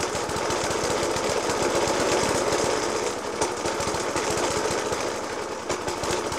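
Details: 1991-era Suffolk Punch 30S with Dellorto FCH 20 carb, after new spark plug, decoke and carb clean; rough uneven idle with heavy banging about three thumps a second; rough idle with banging, cause not pinned down.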